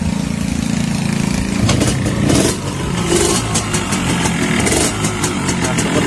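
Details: Yamaha RX King (2003–2004) two-stroke with a complaint of harsh engine noise, idling then blipped: a harsh, rattly clatter rides over the exhaust note.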